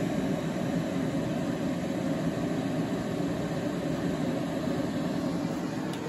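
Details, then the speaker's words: EG4 6500EX solar inverter, status switched to yellow with solar as primary source: steady whooshing fan roar with no tone, ticking or wobble, fans about 10 dB louder under load; normal cooling fan noise. "here the fans have really ramped up and even to this point I don't believe there is loud as they're going to get I believe they do get louder during the day especially when you start getting them a few thousand watts of solar coming in"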